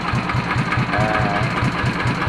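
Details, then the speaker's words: Yanmar TF115 LM single-cylinder diesel after repair for hard cold starting (injection pump plunger replaced, inner bearing not done): steady even idle thump with no knocks or misses, idles normally. "ก็เสียงที่ได้ก็จะประมาณนี้ครับเดินเบาได้ปกติ"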